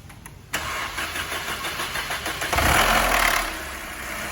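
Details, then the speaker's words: Mercedes C180 at start-up: quick clattering rattle for the first seconds, then quieter idle; faulty intake camshaft variable adjuster pulley, seen with valve cover removed and repaired per technical documentation. "Uma Mercedes C180. Quando liga ela, ela faz um barulho no motor."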